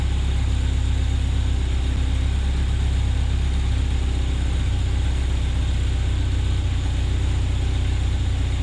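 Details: 1972 Opel GT, last registered 1979, revived after decades sitting in a junkyard, running after new brakes and carburetor adjustment at roughly 1100 rpm; deep, even engine drone holding a steady idle with no stumbles, misses or hunting. Smooth idle.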